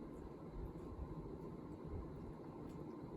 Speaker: you can go to six yeah you can hear the bearings and they're a bit uh clunky and everything